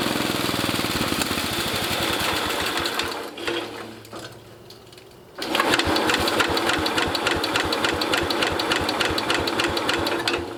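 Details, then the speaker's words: International Cub Cadet 109 garden tractor, Walbro carburetor just rebuilt with new kit: quick, fairly even putter dipping briefly mid-clip then picking back up; engine running on its own, smoking briefly. "just that short amount of time it's running smoked it up in here pretty good"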